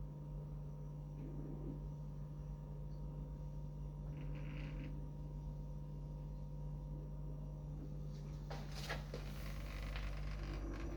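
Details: Vestel refrigerator, recorded 12/10/2022, with a steady low hum and scattered faint clicks and creaks; the cause of the strange noises is not evident.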